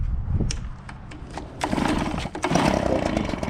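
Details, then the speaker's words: New Husqvarna 130BT, Stihl BR200 or Echo PB-265LN backpack blower on first start after unboxing catches and settles into a quick even two-stroke buzzing idle with no misses; healthy new engine. "hear it? They're so cute. They're running."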